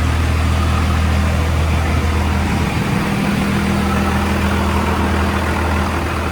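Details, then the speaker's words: 2nd-gen Cummins with an NV5600 manual after a short-throw shifter install, heard inside the cab: steady, quiet diesel idle rumble with the clutch no longer audible and no gear chatter; normal idle. "All right, it is much quieter in here. This quieted down a ton."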